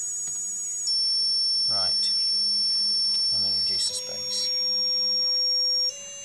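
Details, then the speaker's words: Motor driven by PWM at about 94% mark duty: thin steady high-pitched whine with clicks and pitch steps; motor sounds strained near full duty. "So that's 94% mark now. And it's not not too happy about that."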